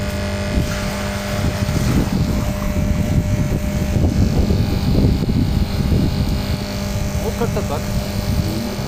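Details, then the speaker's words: Vibration pump (Malysh/Rucheyok type, in a plastic jacket) after gap adjustment and removal of a 1 mm washer from the piston: steady low mains hum, clean even tone, no knocking or rattling; runs like new, normal. "хо работает как новый на такое расстояние основа насос не пускал"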